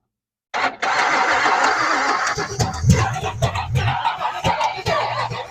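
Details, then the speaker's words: Abandoned 1980s Camaro drag car, 350 V8 freed after being locked up, after distributor adjustment: catches and stumbles with irregular pops and sputters through shorty headers, a fire started; four or five cylinders dead, owner suspects plugs or wires. "so she's down at least four or five of the cylinders I don't know if it's just the plugs wires all that good stuff"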